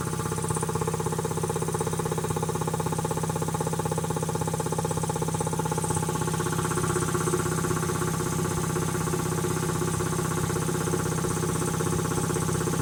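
Steady even chugging at about three beats a second, no knocks or clatter; the compressor runs smoothly and sounds healthy.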